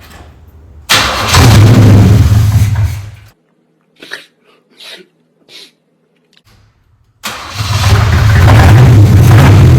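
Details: 3rd-gen Camaro Z28 V8 after working on a dead cylinder and rerouting the spark plug wires: two runs of deep, even burble with a brief pause between, firing steadily with no obvious miss, checked for running on all eight.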